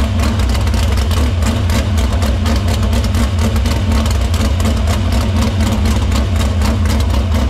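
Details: Dirt Silver Crown race car at a loud, steady idle in the shop after fixing the fuel line, cleaning the filter and feeding fuel through the pump to the barrel valve. A quick, even firing beat without misses or stumbles. Fuel system checks out: normal running.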